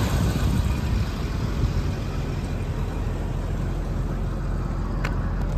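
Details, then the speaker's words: 1987 Jaguar XJ6 six just after cold start at about 85°F ambient, under the hood on the injector side: low even burble with steady rumble, some injector clicking, no misses or knocks; idling smoothly. "show you how nicely sealed everything is in there just running nice and smooth you're on the injector side more clicking"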